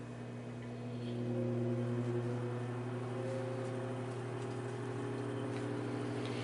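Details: Vintage Arctic Air fan running after prying off painted metal hub cap, before hub cleaned and reattached: smooth steady low motor hum, even tone, no rattle or scraping; normal running.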